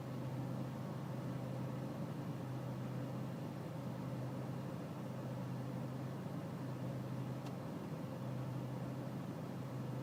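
Steady low diesel rumble at idle with a slightly uneven beat underneath; an idle that isn't running smoothly, cause not clear.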